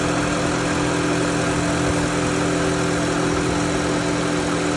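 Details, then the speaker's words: Car at idle with AC compressor engaged after relay check; low static freon pressure had kept the pressure switch from engaging it, not a bad compressor; steady even hum, no knocking, squeal or grinding; compressor works and blows cold. "on there's nothing wrong with that compressor nothing it works and it's cold"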